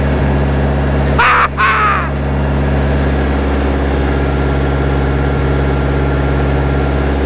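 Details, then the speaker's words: 1960 John Deere 1010 diesel after engine rebuild, running after injection pump timing adjusted to fix smoking; before-and-after comparison, steady even low drone with no stumbles or knocks, running great. "that is running great so here's before adjusting that pump and here's after"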